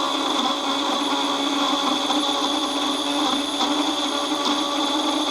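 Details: Ferguson 3V36 (JVC-made) front-loading VHS recorder, after cleaning, grease possibly gone sticky, motor noisy: steady high whirring hiss with constant whine, no rhythm, in fast-forward; noisy fast-forward mechanism, cause suspected, not confirmed.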